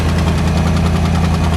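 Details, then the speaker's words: V8 Ford Transit under restoration, running a bit rich, alternator now 14 volts (its connectors had been corroded): deep steady idle with a fast faint puffing tick; exhaust blow at the left-bank headers, which are being replaced. "So we've clearly got a bit of a blow on the left-hand bank, which is fine. I'll sort that."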